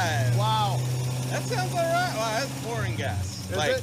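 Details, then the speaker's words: Car started by jumping wires with a multimeter, faulty fuel line pouring gas before hose replacement: low steady hum under background music, no misses, knocks or hunting; engine runs smoothly. "Man, it runs good. It sounded great."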